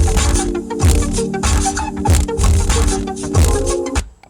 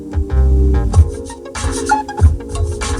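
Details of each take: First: 2004 Toyota Avalon rear deck stock JBL subwoofer playing music, heavy bass breaking into a bad buzzy rattle; surround foam believed rotted or worn away, speaker being replaced. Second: 2004 Toyota Avalon rear subwoofer after replacing the rattling stock JBL speaker: heavy, clean bass thumps with bass turned all the way up, no buzzing or rattling.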